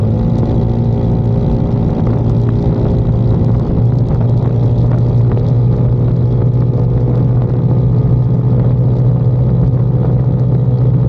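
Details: 2022 Icebear Maddog Gen V scooter cruising after the electric fuel pump conversion, stock carburetor, wideband showing about 16 AFR at a stop and 12 at wide open throttle; deep, even drone with no sputter or stumble: normal cruising.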